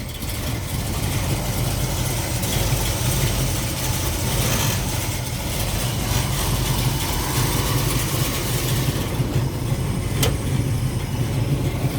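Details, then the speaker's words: 1969 Ford Mustang Mach 1 with a 390 and an automatic, checked in a pre-purchase inspection. It starts right up and settles into a steady, even V8 idle burble with no misses or knocks, no smoke, and no sign of running rich or lean. "Starts right up, sounds good. So there we go. No smoke or anything like that."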